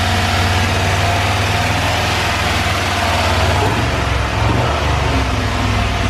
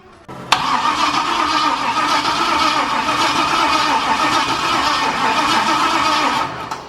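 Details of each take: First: Cadillac with a 6.0 LS swap at first start, red wire run straight to the battery: deep, steady V8 idle with a brief rev blip and no knocks or ticks. Oil pressure present; small oil leak at the back of a fitting. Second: 6.0 LS-swapped Cadillac first start attempt: steady starter cranking drone for several seconds, never fires; no spark, checking main red wire for voltage loss while cranking as suspected cause.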